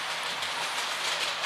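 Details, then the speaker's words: A cheap Helgen model locomotive takes a second-radius curve on a layout: a rough, gritty gearbox growl runs steadily under the running noise, the gearbox binding and complaining on tight curves. "That Helgen doesn't like second radius curves. You can hear the gearbox growling away there."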